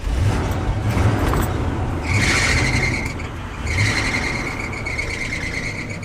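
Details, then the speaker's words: Abandoned Winnebago camper driving on the road after a fuel-related repair: a thin high squeal comes and goes twice over road and engine rumble, suspected slipping accessory belt that someone tightened, not confirmed. "There's that again. Who tightened that belt? Idiot."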